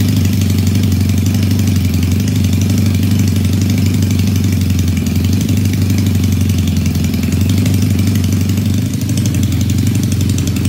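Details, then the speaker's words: Supercharged 1968 Honda CL175 land speed bike with Roots blower, after oil priming: steady, even idle with firm low thrum and no misses; idle improves each time the blower pulley is made smaller. "still running well um every time I make the pulley smaller it idle is better and better"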